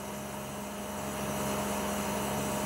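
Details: Outdoor air conditioning unit after fitting spring-and-rubber anti-vibration feet: smooth, steady hum with constant low tone, no rattle, buzzing or vibration; normal quiet running.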